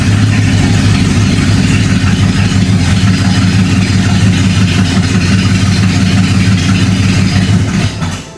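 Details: 1976 Dodge W200, revived after sitting: engine catches and settles into a steady, even low rumble with no knocks or misses; normal running.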